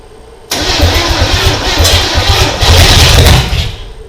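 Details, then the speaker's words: 1987 Chevrolet Monte Carlo SS, sat in the Arizona sun 20+ years, first start attempt with gas poured down the carburetor: starter whirs, engine catches and runs rough about three seconds then dies; it fired, so promising. "okay we're gonna let it sit for a bit uh fired though so that's promising"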